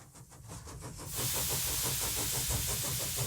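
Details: Model steam engine, first run: quick regular chuffs about three per second under a constant hiss, with the slide valve blowing and air leaking straight to exhaust, so it runs poorly.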